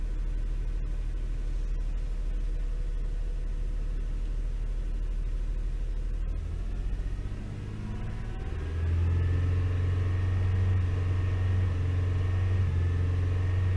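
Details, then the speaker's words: Toyota 3.0L/3.3L V6 misfiring and shaking badly at idle, vibration felt in steering wheel, check engine light flashing on revving: lumpy low rumble rising in pitch; caused by faulty VVT-i oil control valve, cleaning failed, replaced. "shaking really bad. I can feel the vibration on the steering wheel."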